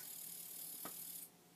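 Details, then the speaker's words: Commodore 1541 disk drive that spun endlessly, after swapping socketed chips; steady high whir with one soft click, then cuts off cleanly after about a second; spindle stops normally at power-on. "and the drive stops spinning excellent"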